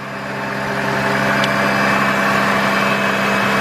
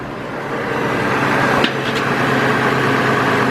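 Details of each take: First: 2002 GMC Envoy after ignition coil replacement for P0303 cylinder 3 misfire: even, steady idle with no stumble or skip, no misfire, engine running cleanly. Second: 2002 GMC Envoy petrol engine idling rough with no power after an alternator replacement, check engine light on, P0303 cylinder 3 misfire; low uneven hum that never settles, engine visibly shaking; ignition coil replacement shown.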